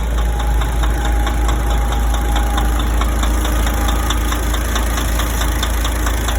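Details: DAF 105 diesel truck engine at idle: sharp regular tapping about three per second over the low diesel rumble; clear engine knock, source undetermined.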